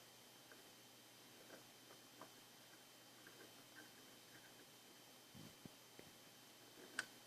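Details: Intake manifold runner control (IMRC) valve tested after repair; faint, dry clicks at irregular intervals over a quiet background as the valve actuates, operating normally.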